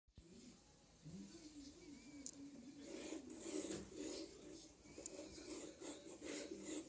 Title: Anet E10 bad bearings